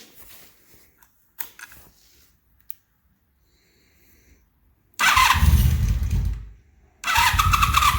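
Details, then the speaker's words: 1983 Honda Magna 750 V45 V4 after new head (ticking was a broken valve adjustment screw), about 100 miles since repair, cold: a few cranking attempts, catches, dies briefly, restarts into steady idle; normal cold start. "And there she is. Sounds good. Now I put about 100 miles on it since I did the work, and I haven't had any problems since, so I think she's good to go now."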